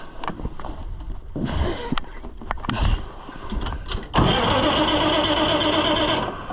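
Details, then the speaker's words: Oliver 1655 tractor after starter replacement and wiring cleanup: strong, brisk, even cranking, much better than before, then it fires and settles into a steady run. "Will you go? Oh, you that crank so much better."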